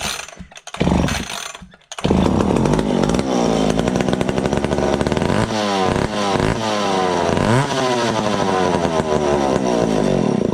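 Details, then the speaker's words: McCulloch ProMac 55 vintage two-stroke chainsaw after ignition chip fix and swap to a two-jet carb, first fire on fuel squirted in, no fuel line, throttle held open: fires, catches and revs with crisp even buzz; runs. "oh yeah that sounds good she's a runner let's do it one more time"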